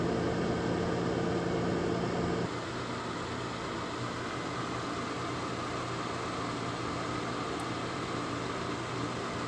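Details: Lasko 1500 W, 12.5 A plug-in electric fan heater with plug-in thermostat, draws cold air in at top and blows hot air out bottom, sitting on concrete block on gray rug; steady even whoosh with soft motor hum, no rattles: normal operation.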